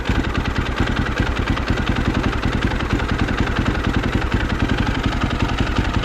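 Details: 2006 BMW R1200GS Adventure, 107,000 km, after lowering a too-high idle, valves still needing adjustment: even, steady low thump at about three and a half beats per second with no stumbling or misses; settled, healthy idle.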